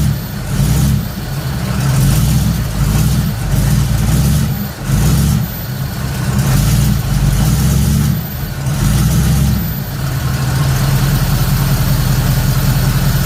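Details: Third-gen Camaro small-block Chevy V8 with new Summit computer, timing found near six degrees, revved in repeated uneven stumbling blips dropping to a lumpy idle; better than yesterday but still not right; rough revving.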